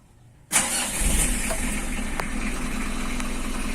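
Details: Mitsubishi L300 started during engine warm-up tips: brief crank that catches at once and settles into a steady, even idle with no knocks or misses; starts clean, with only the handbrake indicator lit.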